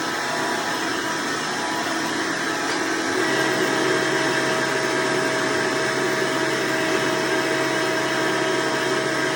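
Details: Hoover Elite vacuum owned since May 2024, bearings greased, after replacing the 7-blade fan impeller with a 20-blade upgrade: steady high-pitched whir with fan rush, no rattles or scraping; noise reduced but still somewhat loud; normal running.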